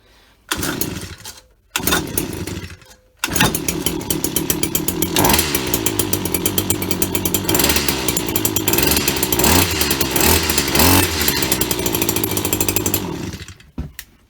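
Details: Husqvarna 24H hedge cutter, after cleaning the plug, priming and using the choke: after a couple of short bursts it settles into a steady, even high-pitched two-stroke buzz with no misses; runs clean and healthy.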